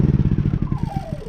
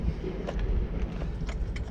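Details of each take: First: Honda EU3000is inverter generator, pull-started, that runs only on choke: with the choke pushed in it pulses quickly and evenly, then the beats weaken and the pitch sinks as it dies; too much air is blamed, and a dirty carburetor is suspected. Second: Honda EU3000is inverter generator after carburetor cleaning (previously ran only on choke): a few clicks, then it catches and settles into a steady, even drone without hunting or dying; normal running.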